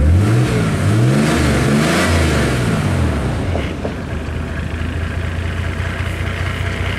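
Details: 1987 Mercedes-Benz 300D diesel after replacing the stock muffler and silencer with a Hushpower Pro 3-inch muffler on 3-inch pipe from the catalytic converter. It revs up and back, then gives a steady, deep, smooth idle with a mellow exhaust.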